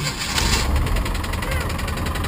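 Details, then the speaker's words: 1990 Mustang LX with good oil pressure and a new alternator, tensioner and belt: fast, even tapping over the idle rumble; owner is unsure where the knock comes from. "she runs we got good oil pressure and all that listen to it and shut her off yeah she's knocking like the po-po after you you know but she is fixable"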